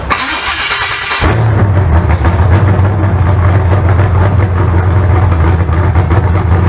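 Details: Freshly built 388 small-block Chevy (heads and intake from the owner's 406, crew-cab Chevelle), started via button and ignition switch: short starter whir, fires and holds a deep, steady idle with an even lope. Normal start.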